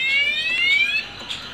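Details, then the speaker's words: Add-on motorcycle alarm with the ignition lock forced: shrill rising and falling electronic wail that keeps sounding until the alarm is deactivated; the alarm siren triggered by ignition tamper. "Tapi di saat kunci kontak kita dibobol, kunci kontak sini dibobol, dia tetap akan berbunyi. Nah, tetap berbunyi sampai kita nonaktifkan lagi."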